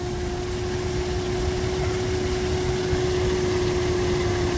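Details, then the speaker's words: 2001 Nissan R50 Pathfinder 5-speed 4x4 at idle: steady mid-pitched whine from low on the engine that never wavers; battery went dead and was replaced; alternator still charging but noisy, replaced with a used OEM junkyard alternator. "and the noise is definitely coming from down there so so rather than just waiting until it fails completely I got a replacement OEM unit"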